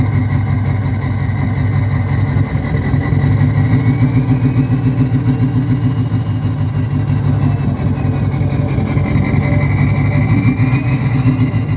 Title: 6.0 Powerstroke/VT365 exhaust sound straight pipe bad injectors